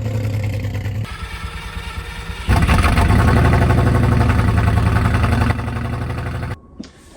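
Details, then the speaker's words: Manual Lamborghini Gallardo project car, neglected for years in a damp shed, misfiring after its first proper drive: uneven lumpy idle with stumbling beat; spark plugs, which haven't been changed in years, to be replaced as the first step. "So, it's misfiring. It sounds like it's running on like eight cylinders or something. I don't know. It just sounds really lumpy."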